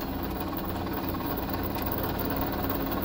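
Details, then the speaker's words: 1998 Club Car DS golf cart rear differential transaxle: steady drive hum with a faint, even whine, loudest under no load between accelerating and decelerating, quieter under hard throttle; transaxle whine, cause not yet confirmed. "in a no load situation it's really noisy if you're if you're hard on it taking accelerating or decelerating you don't hear it so much but when you're in between a load that's when it's the noisiest"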